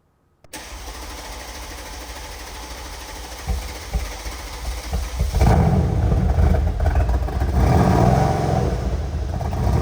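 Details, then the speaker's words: Mercedes-AMG C63S (W205) M177 4.0L BiTurbo V8 after a full rebuild and timing-chain setting: a few cranking thumps, then catches, blips and holds a smooth even idle with no misfire, no engine light. Normal start and idle. "There we go. She's idling, no engine light."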